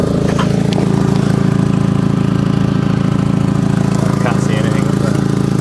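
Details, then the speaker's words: Audi TT with newly fitted exhaust, idling; fast, steady low puffing pulse underneath, leak not in the middle or back but up front, later traced to the downpipes by hearing, smell and hand. "it sounds like it's blowing from right up front it's not blowing in the middle it's not blowing at the back it's definitely blowing from up front somewhere"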